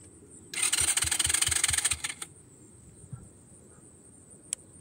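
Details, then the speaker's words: Honda Grom with a newly installed Nibbi carb on stock settings and a 40 mm air filter intake, in neutral with the fuel just turned on: about 1.5 seconds of even starter cranking with no firing. There is no fuel in the carb yet and the choke is not on. "probably uh turn the choke on huh all right and there's no fuel in it oh that would help"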